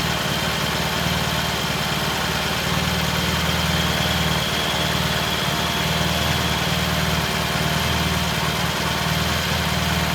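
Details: 1968 T100 vintage British twin, first start after a new battery was fitted: steady, even idle holding a constant pace, no misses or knocks. Timing was checked and found dead on, mixture good; the cable had no slack. Normal idle.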